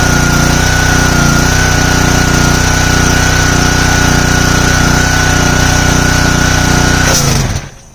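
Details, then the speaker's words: Simpson 3000 PSI pressure washer, Honda GCV engine, long stored outdoors: steady single-cylinder drone about seven seconds, then dies when trigger pulled under load; gas present, owner suspects dirty carburetor or old fuel. "As soon as I pull the trigger, it cuts off. Let's try that again. Make sure that I release the pressure."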